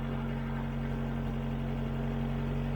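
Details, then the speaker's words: 1996 Suzuki Tracker after fuel pressure regulator replacement cured a dead miss on cylinder one: smooth, even idle with a steady low hum and no stumble, miss or tapping; slight hesitation on first throttle tip-in, otherwise running healthy. "actually seems to be running really well yeah it sounds good I think it may be pretty much fixed now"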